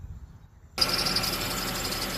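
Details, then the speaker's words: Honda CR-V engine starts and idles quietly with no puffing or ticking after repairing an exhaust leak at the cat-to-muffler pipe flange with split flanges; earlier belt tensioner squeak also noted. "There you go. At least this is quiet as a mouse."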